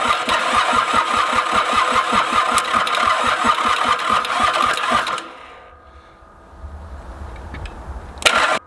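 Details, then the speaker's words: Mitsubishi K3D diesel in Ransomes Bobcat mower, first crank after 9 years, electric fuel pump running: even starter chug about 2.5 beats a second for five seconds, puffs from exhaust but never catches; crank no-start, cause unconfirmed. "right well it's certainly given us some some puffs up the exhaust pipe hit her with a little bit of starting fluid"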